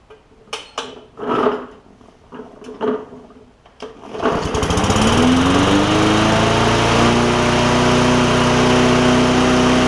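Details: Bolens push mower, Briggs OHV engine after valve adjustment, speed previously very fast: pull-start attempts, then it catches and revs to a steady buzz; speed regulation still seems off, bad governor feared but not confirmed.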